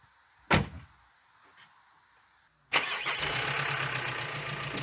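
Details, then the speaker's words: 2014 VW Amarok 2.0 BiTDI Canyon, 113,000 km, 8-speed automatic, cold winter start: a thump, a pause, then a quick crank and catch into a steady, even four-cylinder diesel clatter with a squeak; a healthy cold start. "lovely four cylinder diesel noise in winter with the addition of squeaky bir this is the sound of saving money"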